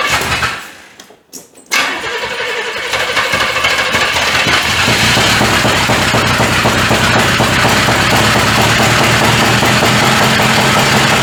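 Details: 1985 Chevy C30 after diesel-to-gas engine swap, first start with slight timing added; quick crank, then a lumpy, uneven beat of two or three thumps a second, misfiring badly; firing order suspected.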